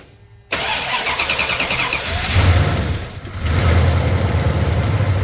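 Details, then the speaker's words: 1993 Dodge D150 truck first started since April after mice got in and the battery was charged; the alternator is confirmed working. It cranks briefly, catches cleanly and settles into a steady, even low idle with no knocks or misses: normal start and idle. "Now, just listen to that thing. Tell me if you hear anything weird on it. I think it sounds great."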